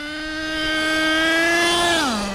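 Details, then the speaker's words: HPI Savage X4.6 nitro RC truck with optional 3-speed transmission at full throttle. High nitro scream climbs and holds one pitch with no stepped drops; owner thinks it's locked in 2nd or 3rd, engine fine: not upshifting. "it's definitely locked either in 2nd or 3rd gear. No shifts at all. It's running great, but that's not 1st gear."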